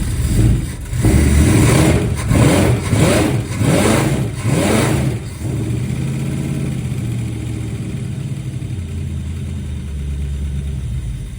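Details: 1963 Dodge Dart 270 convertible with V8, after 21 years off road, new ballast resistor, electric choke, mechanical fuel pump: catches, runs rough and surging about five seconds, then dies; owner suspects carburetor needle and seats.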